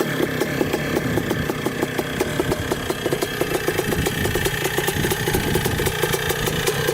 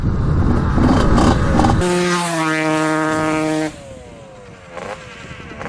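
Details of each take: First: 1979 (possibly 1980) Suzuki RM125 two-stroke dirt bike, barn find unused for about 15 years, roughly 155 psi compression; crisp, rapid even popping idle after warm-up on first ride, clutch working, still clearing out; normal idle, fuel leak noticed afterwards. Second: Suzuki RM125 two-stroke dirt bike, barn find unused for about 15 years, on its first ride: revs hang, then fall off unevenly and sputter, as if running lean, though fuel is reaching it; cause unclear.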